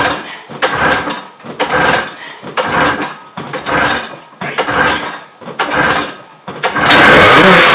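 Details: Old Everest snowmobile with rotted fuel lines, muffler reattached, fuel fed by hand into the carb: seven quick pull-start bursts, about one a second, before it catches and runs raggedly, leaking fuel.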